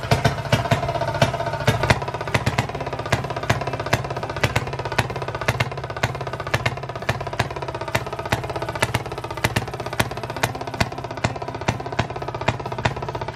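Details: 1920s Maytag two-stroke hit-and-miss washing machine engine, reportedly rebuilt, first start after sitting 5+ years, run indoors to clear condensation: sharp pops about three a second with coasting gaps; fires every revolution then flips to hit-and-miss, running well.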